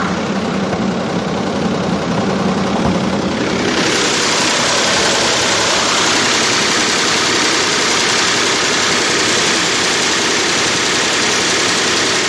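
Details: 2005 Range Rover with BMW M62-family V8, timing-error fault despite new VANOS, chain and tensioners: busy metallic rattle growing louder and sharper after about four seconds; timing chain rattle, root cause oil-filter particles clogging two check valves starving VANOS oil, cleared to fix.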